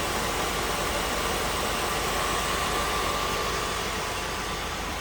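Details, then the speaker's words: 1986 Oldsmobile Cutlass Supreme V8, possibly newer AC compressor: steady, even idle with no ticking or exhaust puffing over background hiss; normal idle, no exhaust leak heard. "looks like it may have a newer compressor on it and sounds good don't hear an exhaust leak no ticking a good sounding engine"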